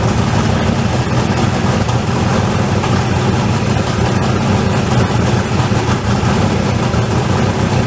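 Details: LSZ turbo engine idling with the downpipe refitted and tightened but not double-gasketed, flanges warped from welding: steady idle with a faint puffing tick; exhaust leaks felt at several spots, most at the back.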